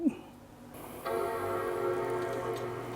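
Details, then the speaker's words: Apple Power Mac G3 Blue and White, 400 MHz, with two 256 MB RAM modules after failing to boot with the extra 128 MB added: a short blip, then a steady chime tone over fans and drive spinning up evenly; normal startup. "okay sounds like it's booting with the two 256 Meg modules in but wouldn't with the extra 128"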